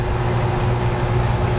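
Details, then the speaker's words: Dometic air conditioner on a Cruisers Cantius 50 yacht, newly replaced unit after faulty one kept tripping the breaker, switched to cold air: steady even hum with smooth airflow rush, no rattles or surging; running normally. "now you really hear it blowing cuz I turned on the cold air"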